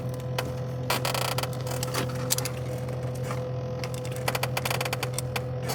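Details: GE refrigerator running extremely loud, audible throughout the house: steady low hum with whining tone plus irregular creaks and rattling bursts; technician added insulation between the fan bracket and walls to damp vibration, but noise persists, fan vibration suspected.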